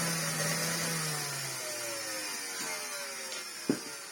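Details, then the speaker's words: Well-used Hoover Turbopower 2 Autosense bought as spares or repairs, first switch-on with the belt off and hose removed: rough, hissy whine sagging in pitch, never settling, thump near the end; the motor is completely burnt out. "Well, what that is, folks, is, burnt out completely. That is not a happy Hoover Turbopower 2 motor."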